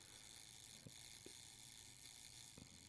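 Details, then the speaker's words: Voigtlander Bessa II 6x9 folding camera self-timer: fine steady high-pitched whirring buzz with faint ticks as gears run about 10 seconds before firing; normal operation. "so when you go to take your picture you hear the gears grinding there"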